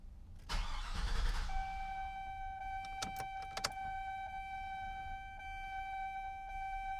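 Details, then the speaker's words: GMC 2500 truck after aftermarket fuel pump replacement with spliced harness: after key-on, a steady mid-pitched fuel pump whine, pump running normally. "okay so i think i can hear the fuel pump"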